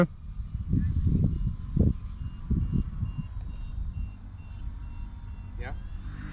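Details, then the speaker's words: E-Flite Turbo Timber 1.5m RC plane in flight: short high chirps about twice a second over prop and wind noise, low-voltage alarm firing early because its 3.9 V threshold is set too high. "I think it's set too high."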